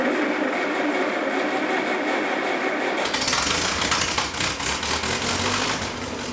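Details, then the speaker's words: Gravedigger backhoe's small gasoline engine started after cold storage; hiss, then it catches at three seconds into a quick, light, steady patter, a healthy start despite a fuel leak, owner suspects a dried cup gasket. "I'm just glad to hear it started right up. That's huge, but I don't want gas flying all over."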